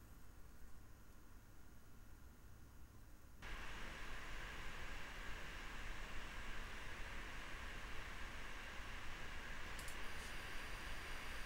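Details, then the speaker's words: AMD Radeon R9 Fury X fan control test, Nidec Gentle Typhoon-type fan: quiet floor, then a steady, even airy hiss with no rattle or ticking as the fan spins up; normal fan noise. "down so you can get an idea of the fan noise profile the fan appears to be a nidek gentle typhoon variant"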